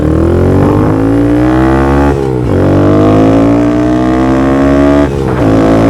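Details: Honda Grom accelerating just after installing a DHM S1 camshaft, with aftermarket exhaust and valves adjusted: crisp rising note through each gear, clean shifts, no misfires; reaches speed quicker and holds the 60s stronger; normal running.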